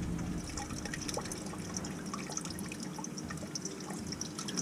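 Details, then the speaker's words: Elkay water fountain drain, clogged, with continuous waste into a tee and trap, cleared with a small plunger: water trickles and drips steadily into the basin and drains away with no gurgling or backing up, blockage cleared. "I see daylight And guess what, it's starting to drain"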